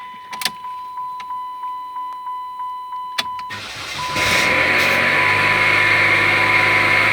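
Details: 2008 Dodge Caliber that wouldn't start, finally running after 3 days of work on a fuse box problem under the bumper: steady ticking chime, then it cranks, catches and settles into an even, smooth normal idle.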